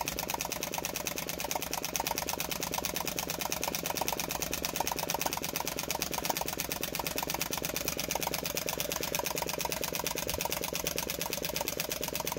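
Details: Flame licker model engine ("Nick", Bangs design kit) running: fast, even ticking with bright metallic clatter and popping from the ball valve, quickening steadily as it speeds up; running smoothly.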